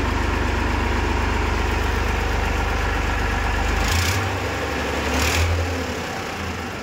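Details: Massey Ferguson 5245 DI tractor, 54 hp class, first owner: deep, even diesel chug at about four beats a second, steady and knock-free, with a brief throttle change near the end; sound idle.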